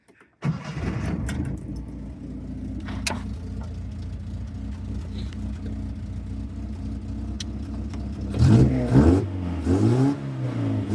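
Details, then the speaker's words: 1971 Datsun 510 with L-series engine, rusted exhaust snapped off partway so only half an exhaust remains: fires and idles loud and raw, harsh barks on throttle blips; exhaust leak. "I mean it sounds bloody ridiculous I can't drive this car like this oh my God God man alive listen to this this is an L series with half an exhaust"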